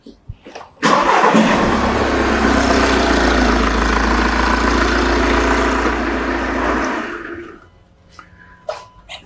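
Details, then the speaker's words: Engine start and idle recorded with a pressure transducer in the tailpipe for an exhaust pulsation test. A short crank and quick catch give even, steady firing with uniform pulsations: no misfires or combustion anomalies. "we can see that reasonable consistency on this engine no issues no misfires no combustion anomaly i'm happy with those pulsations"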